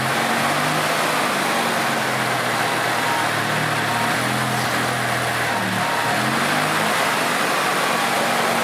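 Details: 2006 EZGO TXT gas golf cart, formerly a crank no-start from water in the fuel, after the repair work: in neutral, the single-cylinder engine runs steadily and picks up speed cleanly with no stumbling or sputtering; it runs healthy.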